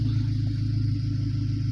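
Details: Chevrolet Astra Hatch 2008/2009 engine revved and running after owner replaced fuel tank level sensor (gauge stopped reading, leaked fuel when full); deep even rumble, fuel pump noise faded once cover refitted, normal running.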